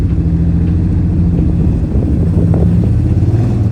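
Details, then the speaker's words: Freshly swapped V8 truck engine with stage 3 cam, tune off, driving under throttle: deep rumble with a slightly uneven, stumbling beat, miss felt on acceleration with no misfire codes; swapping bad plug wires made it stronger. "Now it definitely has a miss. I can feel it as soon as I hit the gas."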